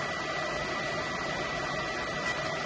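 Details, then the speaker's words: PS4 Pro after thermal paste change: constant rushing jet-engine roar from the fan at full speed; owner thinks paste spread badly or was squeezed from the chip center when tightened, causing overheating. "some time ago I've changed the thermal paste on my PS4 Pro and now it sounds like a jet engine as you can"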